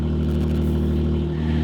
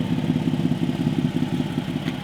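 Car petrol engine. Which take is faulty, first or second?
second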